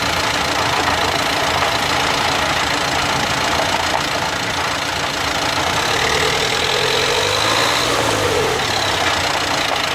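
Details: Brand-new 2016 Dacia Duster dCi 4WD in 5th or 6th gear accelerating from 1500 to 1800 rpm: rough gritty driveline grind over road noise; two dealer visits unsolved, owner suspects a faulty drive shaft.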